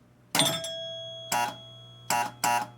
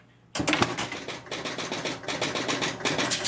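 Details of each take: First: Electromechanical pinball machine that reset normally: ball over a 100-point rollover gives one chime, then only a low steady hum and a few clacks; a relay is stuck on, so no score reels move and no player scores. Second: Pinball machine, four-player electromechanical score reels, powering up: rapid relay clatter and score reels stepping to reset in bursts, then the kicker fires the ball out; resets and starts normally.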